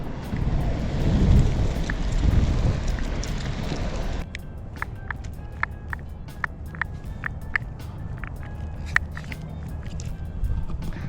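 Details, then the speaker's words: Exway X1 Pro hub-drive electric skateboard while riding: sharp, uneven clicks about four a second over the rolling hum; rear wheel bearings popping loose. "so I have noticed the bearings are popping loose the rear ones no if you hear that especially when I cars"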